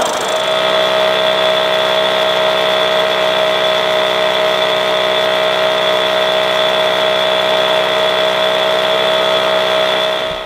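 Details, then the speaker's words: Restored all-original Solex 3800 two-stroke moped engine, rebuilt and bench-run: steady high buzz holding even pitch for ten seconds without surging, stumbling or rattling; passed the bench test without problems. "bien les amis, vous avez vu, il est bien passé au banc sans problème."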